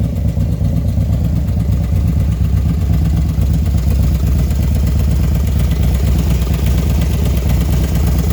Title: Ticking noise..it only does it when its hot.. after install of 110 kit